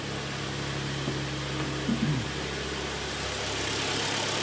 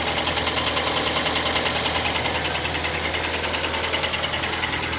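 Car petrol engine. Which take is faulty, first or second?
second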